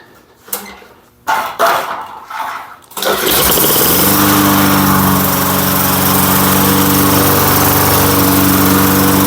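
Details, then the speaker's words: Lawn-Boy Silver Series 10302 mower, sat 15 years, primed: a few rope pulls, then it catches and settles into a steady even buzz without sputter; starts and runs fine. "again wow no freaking way I I can't believe that I can't believe this thing just started up and runs like that"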